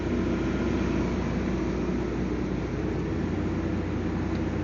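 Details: Transformer cooling fan induction motor, after repair and a 208 megohm insulation test, on a solo dry run via a direct-on-line starter: even, steady hum and fan rush with no knocking, rubbing or grinding.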